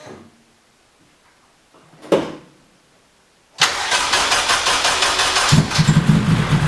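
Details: New engine won't start: quiet cranking, then catches with a lumpy, uneven idle with steady light throttle, feeling like running on three cylinders; hard start and rough running, cause unknown.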